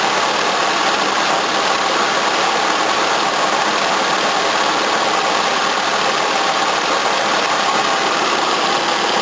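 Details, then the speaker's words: 1981 Toyota Corona RT132R, 18R-C engine, after tappet adjustment only, no tuning: smooth, even, faster idle with steady hiss, water pump audible, no stumbling or shaking; normal idle. "Running so much better, a lot faster too. Still all I can hear is water pump."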